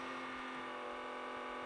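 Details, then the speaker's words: Cheap secondhand Panasonic VHS camcorder recording a new cassette: steady loud mid-pitched whir with hard buzzing edge throughout; camera seems to work but is extremely noisy, cause undetermined. "the nearest I can tell this camera does work but it's extremely noisy if you were to actually use this camera to make a recording you would have to have some kind of external microphone plugged into it because otherwise you're gonna hear that nasty noise"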